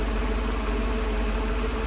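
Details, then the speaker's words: Freshly rebuilt engine idling, inlet manifold refitted after forgotten brake servo vacuum pipe: quiet, steady low hum with an even pulse and no ticks or knocks; normal idle, owner notes a very slight rock. "that manifold really dirty but as you can see it's really quiet there's no knocks"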